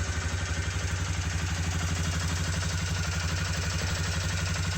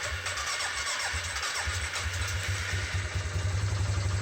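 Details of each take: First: Suzuki Vinson 500 single-cylinder ATV after fixing bogging; smooth steady idle about four beats a second, instant throttle response and good power. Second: Suzuki Vinson 500 ATV, already repaired for bogging and used six months since; slow, uneven, labored cranking at about four beats a second before catching, because the battery is low and worn out and needs replacing.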